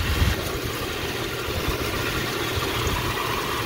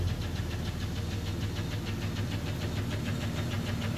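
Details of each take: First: Jeep Cherokee 4.0 inline-six, clean oil, idling while warming up: even steady idle with a faint power steering pump whine, no knocking or ticking; healthy engine. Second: Jeep Cherokee 4.0 inline-six, about 225,000 miles, recorded before removal: rapid sharp knock about three per second with a gritty edge over idle, first taken for a nasty lifter tick; teardown found piston damage.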